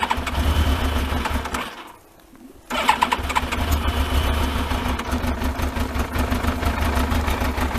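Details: Yamaha Thunderace motorcycle, not started for ages and no coolant in it: it cranks, catches briefly, drops out for nearly a second, then refires into a rough, uneven idle; a reluctant start after sitting.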